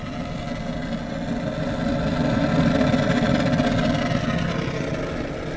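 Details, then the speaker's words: Gas deep fryer being lit at the pilot while the gas line is still purging air: a steady roar whose tone swells and shifts over a few seconds. Air in the gas line makes the flame pitch fluctuate. "still has some air that's why it's changing in pitch"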